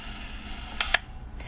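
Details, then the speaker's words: Yashica Minister-D rangefinder self-timer, which works only with flash sync set to X: two crisp clicks as the timer is set and released, then the shutter fires cleanly after the countdown. "You just activate the self-timer, hit the shutter release, that starts the self-timer,"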